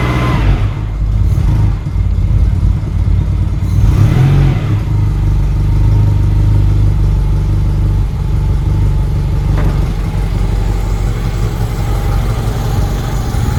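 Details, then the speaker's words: Citroen "Giselle" running cold after sitting, with the airbox off: a low, rough drone that swells and sags unevenly. The choke works poorly, over-choking then under-revving. "Oh, it really doesn't like choke. It's over choking. And then under. Oh, come on, Giselle. The choke doesn't seem to work very well on this car at the moment. It over chokes but under revs."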